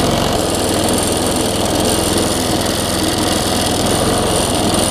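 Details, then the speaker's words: Quantum-powered 3.5 hp weed trimmer running on a newly fitted replacement carburetor that owner says is not perfect; steady small single-cylinder clatter, slightly uneven and lumpy rather than crisp. Rough running from poorly matched carburetor. "okay so that carburetor is not perfect either you know"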